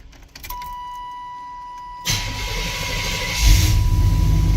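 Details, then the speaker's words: 1989 OBS Chevrolet Silverado, cold start: door chime, short crank, engine catches quickly and settles into a steady deep rumble; clean, healthy cold start. "All right, a little cold start for you guys. I know y'all like them cold starts. Let's see what we got here."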